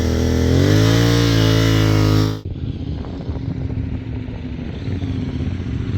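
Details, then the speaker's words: Off-road motorcycle, rider feathering (not dragging) clutch at slow speed: steady revving drone drops to soft low-rev burble on light throttle; low revs, just enough throttle, less clutch heat and wear, correct technique. "Everything is done at very low revs, just enough throttle. So low revs means less friction, means less heat and less wear on the clutch."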